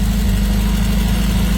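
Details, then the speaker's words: Carburetted donor engine just installed and first running, not yet warmed up or timed; steady idle with light, quick ticking over the rumble, a slightly tappy valve; valve tappet noise. "We've got a slightly tappy valve by the sounds of it."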